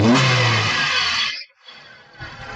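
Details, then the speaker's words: 2013 Maruti Suzuki Swift VXi petrol after replacing both ignition coils, one of which was faulty and caused hunting and a cylinder-2 misfire: engine revs briefly and evenly then drops back quietly, no stumble or hunting. "you can see friends our engine has become silent and its coil one coil was bad"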